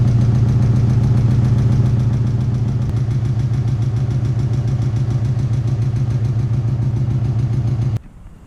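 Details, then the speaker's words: VW MK4 after fuel filter replacement, following 9 months parked and not starting: low, throbbing lawnmower-like idle with uneven chuff three to four times a second; rough idle, owner attributes it to sitting and old oil. "right so the car sounds like a lawnmower because it's been sitting for like nine months so it needs some new oil"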